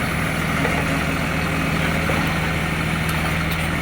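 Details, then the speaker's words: Recycling truck, heavy diesel idling: fast rough puffing tick through the low rumble; exhaust leak. "exhaust leak. Oh, it sounds beautiful."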